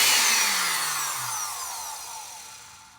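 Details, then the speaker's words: Rebuilt vintage Black & Decker 507 sheet metal shear, AC motor with just-installed brushes, run again after reversing polarity, same rotation: smooth high whine falling steadily as it coasts down, no grinding or rattle; good electrically, normal motor run. "you notice the motor turned the same way. So, which it was going to do anyway. It's just how an AC motor works. We are good electrically."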